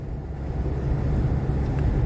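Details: 2007 Jeep Compass out of storage, on the road after brake caliper work: only steady low road rumble at speed, no growl or hum building with speed; wheel bearings sound fine.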